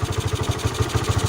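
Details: Honda Sonic single after repair for hard starting, no idle and loud noise (leaking valves; worn parts and bearing replaced, new higher-lift cam): idles with an even, steady thump and no ticking or misses; quiet and healthy.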